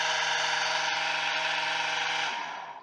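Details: Submersible pump that only vibrated, tested with capacitor fitted, capacitor confirmed as the fault: steady even electric hum at constant pitch, winding down smoothly when switched off; motor runs normally.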